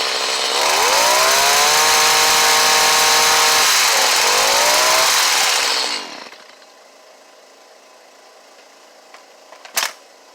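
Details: Stihl HS45 two-stroke hedge trimmer, intermittently hard to start when cold but runs fine once going, low on fuel: revs up crisp and high, holds steady, dips once and recovers, then shuts off cleanly; runs normally.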